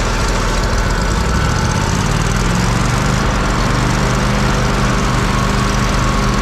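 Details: Kohler CH750 in a Miller Trailblazer 302 AirPak welder, after the owner's repair, running with no load: a steady even drone with a constant low pulse and no knocks or misses. It sounds pretty much identical to the other welder.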